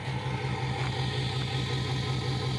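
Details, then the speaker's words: Freshly rebuilt 6.4 Powerstroke diesel (third engine, truck 117,000 miles, rebuilt engine about 60 miles) in an RV tow truck over 10,000 lb, at 6400 ft elevation: low, even exhaust burble at idle, almost no diesel rattle, soft turbo whistle; normal idle. "like I say this thing is as quiet or quieter than a new six seven um has almost imperceptible diesel that typical diesel rattle you barely even hear it a little exhaust clip here"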